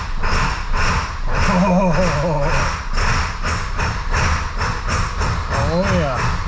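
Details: 2002 7.3 Powerstroke diesel on a cold start around 60°F after glow plug cycle, tune not yet refined: slow heavy cranking about twice a second before catching; normal cold start for this engine.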